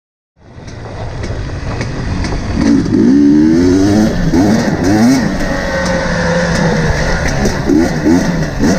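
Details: KTM 250 XC-W TPI two-stroke after swapping the ambient pressure sensor into the crankcase pressure sensor position, same part number; before, it wouldn't warm up, loaded up and sputtered at low rpm. Now the revs climb and drop cleanly with each blip, crisp low-rpm throttle response.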